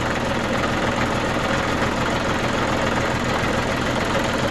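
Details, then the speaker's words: New Holland Boomer TC25D diesel tractor idling after a fuel filter change and air bleeding: steady, even clatter with a constant low rumble and no stumbles or hunting, a healthy idle. "And to be sure, like I said, you can do it while it's running. That's it. Sounds pretty good."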